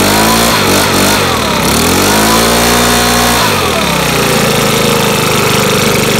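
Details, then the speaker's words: Makita BHX2500CA 4-stroke blower after oil change with new oil, started without priming; catches easily, revs briefly, then steady even idle with no misfire or rattle; normal idle. "so we'll do that real quick and see if it'll start up with the new oil uh let's try to do without priming"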